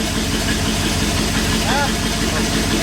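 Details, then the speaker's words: 1959 Ford F100 special delivery V8 after turning the carburetor idle mixture screws until it sounds better: steady fairly even idle, no misses or stumbles; running way better. "oh so you you turn it until it starts sounding better but don't go too far cuz then it'll start sounding rough that's already running way better"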